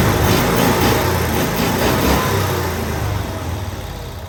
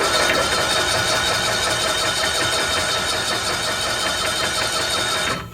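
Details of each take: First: 1992-ish Cushman Truckster, revived after years sitting in a field, idling after fuel fill: even, regular putter of about four beats a second, steady and fading slightly, no misses; normal smooth idle. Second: 1992-ish Cushman Truckster, sat years in a field, first crank attempt (owners wonder if 6-volt system): labored, sluggish churning under three turns a second that never speeds up, then stops; slow cranking, cause not confirmed.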